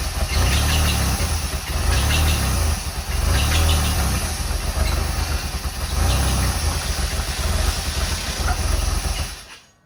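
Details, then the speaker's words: 1985 Pontiac Fiero project car at start-up, oil pressure present: lumpy, uneven idle surging and sagging before dying; rough idle from unmetered air through a vacuum line that came undone, to be replaced. "It has that really rough idle because that vacuum line, I'll get that replaced."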